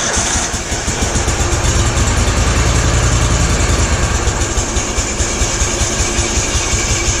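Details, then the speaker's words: Exmark Turf Tracer EFI mower after fitting a replacement fuel pump, fuel on, pump making pressure: engine catches and holds a steady, even beat with no stumbling or surging; normal running. "all right fuel's on fuel pumps working cool she loads up definitely making pressure so we gotta fill the lines back up"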